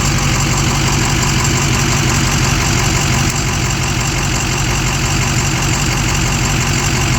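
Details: Steady engine idle with a light, fast top-end ticking at about three per second; cause unknown.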